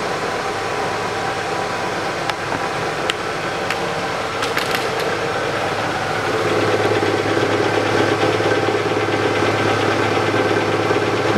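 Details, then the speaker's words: 2008 Chevrolet Lanos, 1.5 manual, 129,000 km, started cold: steady idle with a faint irregular rattle and hum from the gearbox that grows louder as it warms and comes and goes, like something catching; input shaft bearing suspected. "зашумел подшипник в коробке быстрее всего этот подшипник первичного вала больное место у них"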